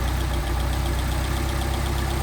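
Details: Car with rebuilt Solex carburetors (new throttle shafts, no machine work), mixture screw adjusted until it runs best: a steady, even idle with a smooth low beat and no falter or miss.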